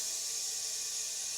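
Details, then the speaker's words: Pressure pot being charged with air through a standard quarter-inch fitting, drain valve closed, run up to 40 psi from a pre-charged shop compressor: steady, even high hiss of inflowing air with no sputter or pulsing; normal air fill. "you can hear the air coming in and we're going to run this up to 40 psi"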